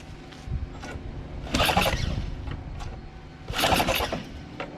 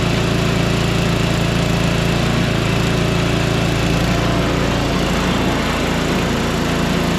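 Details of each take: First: Small engine converted to a single-shaft engine with reversed pulleys: two short cranking bursts with no firing, primer not working because the fuel shutoff valve was closed. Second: Small single-cylinder engine, running after priming with fuel shutoff opened: steady even fast putter, no misses; holds speed fine.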